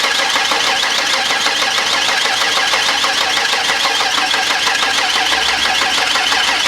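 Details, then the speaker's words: 1992 Ford Explorer, first cranking after sitting since late 1990s, battery charged briefly: even starter beat with no skips or lazy spots, compression even, hitting on all cylinders about even. "sounds really good to me it's hitting on all cylinders about even"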